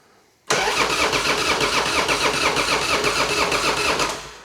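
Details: Harley-Davidson Fatboy rebuilt after a wreck, first start after fitting replacement tank, fuel on. Cranks then catches abruptly, settling into even steady loping beat; owner suspects compression higher, about 10.5:1; normal start and idle.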